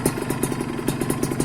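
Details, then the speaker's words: Used Kawasaki Ninja 150 two-stroke motorcycle checked before buying: quick, slightly lumpy popping idle with crackly exhaust, no heavy crank knocking; slight roughness is normal for a two-stroke. Normal two-stroke idle. "Kalau agak kasar gak masalah ya agak kasar gak masalah yang namanya dua tak itu Ya wajarlah ya gitu"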